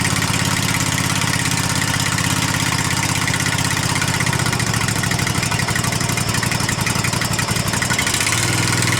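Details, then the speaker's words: Husqvarna Z254 mower engine after a new ignition coil was fitted with its clearance set, running on the old spark plug: it fires up and holds a steady, even beat at constant speed with no misses, running properly. "he's running good now with that new uh new thing on I can't remember what you call it"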